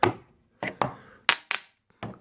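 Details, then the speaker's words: Smeg DI612CA9 integrated dishwasher with E1 Aquastop fault, door panel removed. Six sharp irregular clicks as the polystyrene float in the water-filled base tray is moved by hand; anti-flood switch tripping, fixed by drying the water. "move the polum floor up and down and you can hear the a stop switch clicking"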